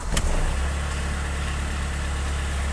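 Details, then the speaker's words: VW Rabbit 1.6 diesel, unrun for 26 years, on its first real cold start after a new timing belt, coolant and thermostat, with glow plugs cycled. Quick crank, catches at once, steady even low idle, no knocks: normal diesel cold start and idle. "That was the most drama-free cold start I've ever had with a 1.6 diesel."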